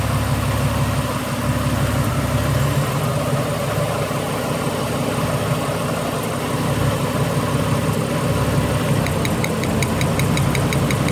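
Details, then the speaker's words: Ford BA Falcon inline-six at idle with misfire: rough, uneven idle, exhaust beat stumbling irregularly; misfire traced to failing original ignition coils on the three front cylinders, back three already replaced. "What we're going to do, I'm actually going to start it with it missing. Pull a plug and see if it still stutters. It should stop stuttering."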